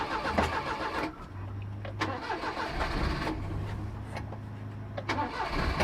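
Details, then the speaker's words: 1988 Daihatsu Hijet mini truck after sitting for years: slow, uneven cranking about three to four turns a second that never catches; weak battery suspected before a jump pack is added. Unconfirmed. "on all right let's hook up the Go Go Juice Box cuz I don't think the battery's powerful enough right now"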